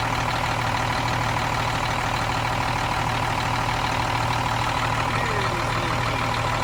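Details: Cummins M11 diesel semi truck after fuel system priming and bleeding: steady even rumble, smooth regular beat, no stumbles or misses; runs clean, no more air bubbles.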